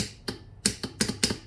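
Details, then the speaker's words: Riding mower starter solenoid removed and bench-tested on a battery with jumper cables: crisp metallic clicks, some doubled, when the switch leads are touched; solenoid works fine, original problem suspected to be poor grounding. "so you want to hear this thing click and if you touch these leads you can hear it clicking so that's that's good"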